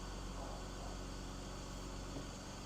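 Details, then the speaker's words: 2006 BMW X3 E83, M54 engine with 5-speed GM automatic, after new belts and pulleys, idling cold (about 21°C transmission fluid) during transmission fill, cycling gears; steady smooth idle, no more belt chirp; normal idle. "everything up front looks good sounds good there's no more belt chirp which is a great sign"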